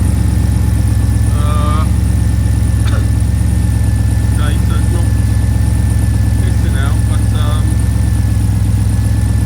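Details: AK 427 Cobra replica first start after build, in neutral, clutch not yet bled, minor hose leaks: steady low rumble with smooth unchanging beat, no knocks, misfires or rattles. Normal idle.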